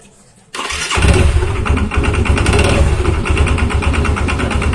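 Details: Yamaha Xeon scooter after replacing the starter one-way clutch: it starts and runs with a coarse, rapid rattle from the CVT belt-drive side over a low engine rumble. An incorrectly installed or missing part is suspected, unconfirmed.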